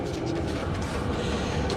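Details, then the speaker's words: Chinese diesel heater running hot, set to 35 °C, powered from a battery/power supply for an hour or two: steady, even combustion roar and constant fan rush with no misses or surges; normal running. "okay we got this puppy running and it's cranking it's running hot i'm at 35 degrees c"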